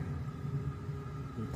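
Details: Steady low hum with faint hiss from a Consert AV73 BT power amplifier's mic mixer stage, noisy and crackling even with no microphone connected, heard through the speaker; swapping the controls did not cure it.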